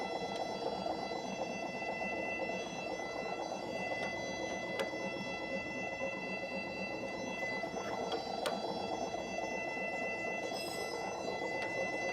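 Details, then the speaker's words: RMS Roller-Grinder 6x6/MicroMill brew mill being zeroed, with both sides turned in two ticks at a time: a steady whir with faint, irregular light knocks as the rolls close in and just start touching at five on the dial. "Okay. So, you can hear it hitting. We're hitting at five."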